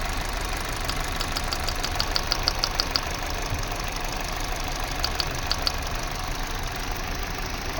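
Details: Kia/Hyundai engine at idle: steady idle carrying uneven, irregular light ticks and a slightly lumpy beat, consistent with a cylinder misfire.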